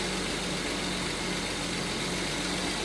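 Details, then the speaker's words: Volvo 164E with D-Jetronic injection, after new injector wires and cleaned-up wiring: smooth, even idle with a steady low hum, no misses, knocks or hunting. Runs better than ever, normal idle. "And now she runs better than ever."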